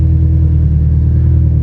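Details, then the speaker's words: Rebuilt Subaru STi engine idling after repair, with a cylinder that earlier gave issues now checking fine. It gives a deep, steady rumble with an even low hum and no misses or ticks, sounding healthy. "damn it sounds healthy though"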